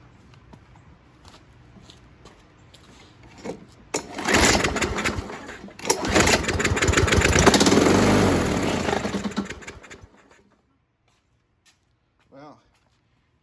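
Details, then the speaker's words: 2022 Yardmax YG2760 mower, 201cc OHV engine (possibly Loncin), started with carb spray after a few pulls: runs rough and unevenly, shaking like a loose blade; blade imbalance from a bent blade adapter, likely from hitting something. "heard that that sounded like a the um blades loose or something so after uh taking off the bottom which taking which is that that coverage is a pain uh uh this is what you get now the reason why it was shaking is they hit some somebody must have hit something look how bent that blade adapter is"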